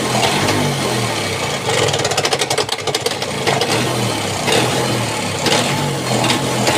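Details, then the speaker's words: Bajaj Chetak two-stroke scooter idling after an engine rebuild, rattling only at idle and quiet when the clutch lever is pulled or riding: loose metallic chatter over the idle from a loose clutch housing nut. "खबर आ रही है, यही तो clutch है। आवास।"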